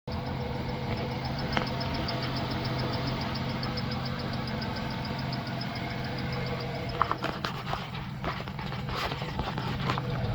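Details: 1995+ Ford Ranger/Taurus 3.0 V6 idling: quick, regular high chirp from a failing cam synchronizer, with worn internal bushings letting the shaft wobble and make contact. Not the belt, tensioner or idler. Replacing it with an OEM Motorcraft synchronizer cured it.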